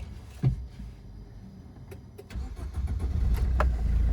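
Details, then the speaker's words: 2007 first-generation Maruti Swift diesel, 160,000 km, after replacing three engine mounts for heavy running vibration: a few light clicks, then it catches and settles into a smooth run with no clunk or shudder; clean start after repair. "ഇപ്പോൾ start ചെയ്യുമ്പോൾ ഒരു തരി പോലും sound, ഒരു ഇടുപ്പോ കാര്യങ്ങളോ ഒന്നും feel ചെയ്യുന്നില്ല."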